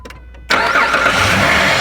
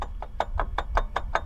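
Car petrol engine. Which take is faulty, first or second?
second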